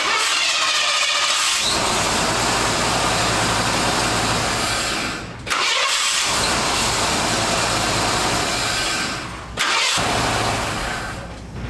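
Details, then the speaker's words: Early Ford Bronco after starter replacement, battery reconnected: brisk, even cranking catches and runs steadily, with two brief dips between runs; new starter sounds much better than the old junk one. "Success. Sounds good to me. Sounds good to me too. The starter sounds way better."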